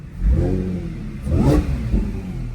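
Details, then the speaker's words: Salvage Audi S4 at Copart, first look, steering defect code showing: two clean throttle blips rising and falling smoothly, no knocking, ticking or rattling; engine sounds healthy, normal revving. "healthy carbon fiber that's split they usually are nice"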